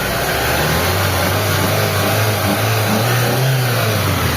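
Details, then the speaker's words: Mitsubishi Lancer run again after sitting unused for a long time, with a non-working idle servo: a smooth, even rev with a steady low drone and no knocks or ticks. Engine quiet and okay. Normal revving. "Sa makina okay naman, tahimik."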